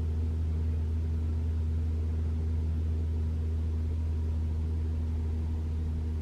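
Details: 2021 Toyota RAV4 Prime SE started in EV mode at 49°F, heater Auto high, AC off, testing for intermittent loud heat pump noise; only a steady low hum at even level, no horn-like blare: normal heat pump hum.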